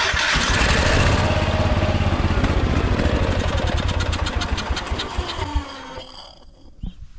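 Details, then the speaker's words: Kohler K-series single-cylinder on a 50-year-old Cub Cadet 1450 Hydro, hot after running: fires quickly with a little choke and keeps a quick, even popping beat; healthy start, though the hydrostatic drive may be low on fluid. "but that started up pretty good. Well, it's running. It seems to like a little choke to get it going, but it starts pretty easy now."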